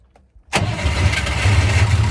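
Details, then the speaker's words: Unimog with a 24-volt system, started after fitting a Jeep battery as the second battery. Brisk crank fires almost instantly into a deep, steady idle; starts strongly with two batteries. Still doesn't seem to fire on all cylinders. "Whoa. Yeah, it likes 2 batteries. Who would have known a 24-volt system wants 2 batteries to be good?"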